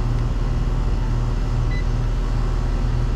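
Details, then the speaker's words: R22 package unit that runs constantly, compressor restarting after cooling off from a thermal overload trip: deep steady hum comes up and holds with no clatter; startup 75 A, pressures running high, capacitor tested at 5.11 µF. "all right so my compressor's cooled off getting a bunch of phone calls I'm gonna put my probes on here and get ready to read pressures as soon as this thing fires up"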